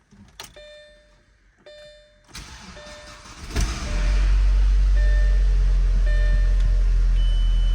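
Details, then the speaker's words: Audi A4 B6 Avant 1.8T Quattro manual, first start after water pump, thermostat and timing belt replacement: quiet ticks and relay click, then starter catches and engine settles into a steady, even low idle; normal start and idle. "all right so the car started which that's really good I'm happy to hear it running"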